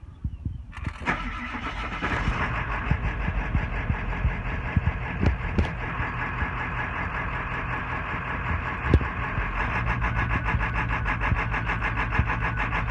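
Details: 1996 Ford F-350 7.3 Power Stroke diesel, with ICP sensor replaced and fresh oil and fuel filter: cranks, catches and settles into a lumpy idle with irregular thumps; rough idle, cause not yet found.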